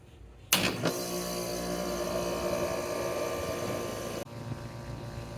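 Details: Roughly 8-year-old home AC unit whose compressor had stopped while the fan ran; contactor failure assessed and contactor replaced. Cool is called from the thermostat: a sharp click, a smooth steady hum, then a clean stop. Normal start-up.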